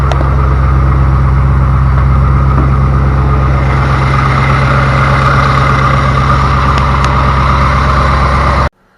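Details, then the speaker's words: 2000 Chevy Camaro Z28 LS1 V8 with automatic transmission, after new torque converter bolts were installed to cure a knock: steady, smooth deep idle with no knocking until it cuts off; normal idle after the repair. "hopefully you can tell it is no longer knocking so that by far was the best scenario it could have been"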